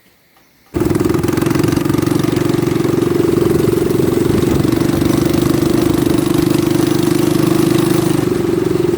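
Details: Baja Warrior minibike small engine, throttle stop screw removed for full throttle, after a front fork swap: catches on first pull and settles into a steady, even buzzing run with no misses, knocks or rattles; healthy.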